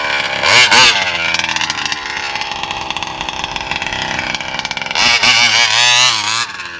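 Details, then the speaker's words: VEKTA.5 RC car two-stroke with old spark plug and Walbro 1107 carb, high needle full turns, low 1.5, seems to keep flooding: high-pitched buzz surges then sags and stumbles instead of holding clean high rev; bogging at top end. "So yeah, that's right there is what I'm running right now, right here, and it's doing that that sound."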